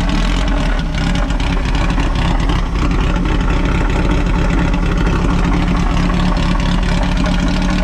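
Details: Volkswagen Baja Beetle revived after sitting, first start after adjusting the choke and lubing a sticky throttle cable: steady even low thrum with no misses or knocks, throttle settling smoothly; runs cleanly.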